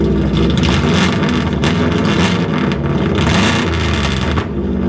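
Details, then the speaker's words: Car engine running with no muffler fitted, exhaust exiting out the side like a side pipe; loud, raw, rasping roar with deep rumble and crackle at steady idle. Owner thinks it is louder than with the straight header; open exhaust without muffler. "Just for the fun of it, here's what it sounds like with with no muffler on it at all."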